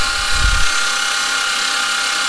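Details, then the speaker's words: Freshly rebuilt forged, 15-over, stage 2 cam, 15g twin-turbo Mitsubishi 3000GT VR4 6G72 being primed dry on the starter: thump then a steady high starter whine, no firing, labored; owner expects the battery to die first. "what happens when everything's bone dry it takes forever to get that suction going yeah this batter is going to die before it even starts going"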